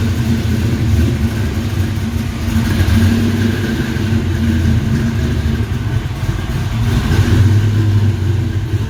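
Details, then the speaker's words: 427W V8 Fox Body Mustang build at idle: deep, muffled burble, tame through the mufflers, with quick blips that rise and settle cleanly; healthy and very responsive. "it sounds really really tame with these mufflers but it's uh very responsive"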